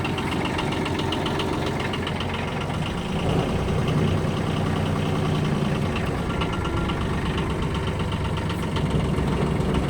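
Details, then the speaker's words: Kubota KH-8 mini excavator diesel with 1954 engine hours, just started from the ignition: it starts easily and settles into a steady, even idle with a soft regular clatter, no misses or knocks, running smoothly. "здесь у нас при зажигания запускается легко работает ровно"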